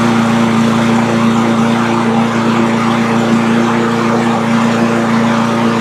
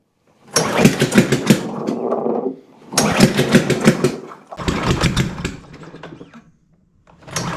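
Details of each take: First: Cub Cadet push mower with Powermore engine that popped and wouldn't stay running, after valve train repair and governor spring tab adjustment for engine speed: constant steady drone, no popping or surging, still smoking slightly; running clean. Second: Cub Cadet push mower, MTD Powermore engine, air intake off: fires and runs ragged about two seconds then cuts out, repeatedly, after first running perfectly for 30 seconds; popping, won't stay running. Loose valve rocker studs.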